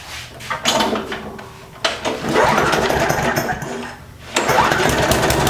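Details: Free push mower with a classic Briggs engine after a repair: it catches and runs in loud uneven surges with a raspy exhaust crackle, sounding like a normal small single-cylinder running.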